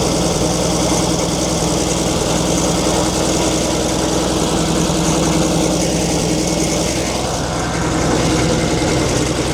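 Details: 1942 Chevrolet Blitz CMP 4WD truck, 216 petrol straight-six: slightly uneven idle with steady whirring growl under it; owner points out water pump noise, engine later boils, pump seemingly not pumping.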